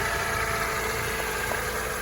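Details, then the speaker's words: 2004 Mercedes SLK 230 automatic, 55,000 miles, idling with the bonnet open: smooth, steady hum and supercharger whine, no knocks, ticks or grumbles; normal idle. "And now you can hear it running. I'm sure you can appreciate there are no grumbles or anything like that."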